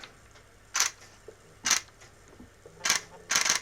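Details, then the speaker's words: Nikon Zf, second-hand with only 490 shutter actuations, powered with no lens fitted, quiet room: four crisp, even mechanical shutter snaps, no drag or hesitation; normal shutter. "I really wanted it to be doing that, but it's got a mechanical shutter in there, which sounds very nice."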